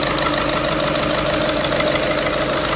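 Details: VW Vento idling with check-engine light on and heater light blinking: uneven idle with a rough knocking beat under the engine hum, a misfire traced to a faulty fuel injector, which was replaced.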